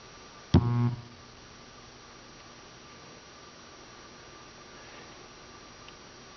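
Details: Seeburg USC1 Bandshell jukebox at power-off: short dull thump from the speakers, faint steady hum, then a second thump, quieter than the loud thump-hiss at switch-on; cause unclear.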